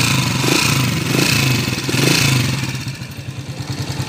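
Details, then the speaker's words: Honda TMX155 motorcycle, restored and converted to CDI, before overhaul, reported vibration when riding; light rapid ticking over idle, rougher as revs rise, noisy timing gear; worn cam, valve tips, tappet screws. "Ayan, maingay na rin yung timing gear mga bro. Malagitik. Tapos magaspang pag nire-revolusyonan natin."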